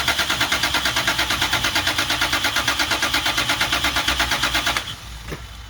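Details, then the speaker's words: 2000 Toyota Prado 3.4L with a major misfire: cranking with the coils unplugged for a relative compression test. Beats are even, about six a second, with no cylinder dropping out, so there is no compression problem and no mechanical fault. "see what we get and look at that all good so we know we don't have a compression issue"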